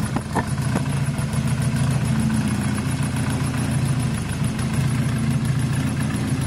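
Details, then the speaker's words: SYM XS 125, warm idle with no choke after swapping a gummed-up carb for a new up-jetted one; even, steady low idle with a smooth regular beat, no stumbles or knocks; sounds as good as it gets, slight smoke from exhaust wrap burning in. "it's warm it's not using any choke it sounds as great as it's ever going to sound guys"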